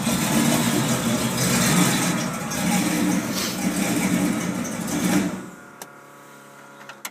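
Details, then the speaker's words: 1979 Ford with 460 V8 after exhaust leak repair, not fully warmed up, condensation water coming from exhaust: steady even burbling idle for about five seconds, then clean shutoff; normal idle. "well she's not quite warmed up but that sounds pretty cool Sergeant like that it's a little tiny exhausted tank back there"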